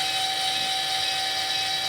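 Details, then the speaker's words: Eco-Worthy solar sun tracker in wind safety mode: beeps after its 34-second timed travel, then steady high fixed-tone actuator motor whine driving smoothly back to flat stow position; normal actuator travel. "hear the beeping that tells you it's in it's in the right now it's 34 seconds has passed"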